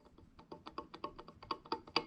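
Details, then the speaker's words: Used turbocharger, shaft pushed back and forth by hand: light dry clicks a few per second showing axial end play; bearings sound not terrible but not great, owner will rebuild it. "as you can hear right there, and so I am gonna rebuild it. That's not enough to like freak out about, but I don't like wondering."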